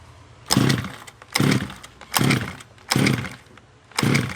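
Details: Redcat Rampage XT RC monster truck two-stroke after a new carb, NGK CMR7H spark plug and power switch: revs blip up in short bursts about every second, picking up cleanly and dropping back; it finally runs decently.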